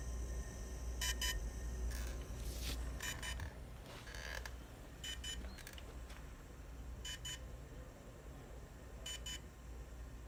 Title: Phantom 3 standard weird noise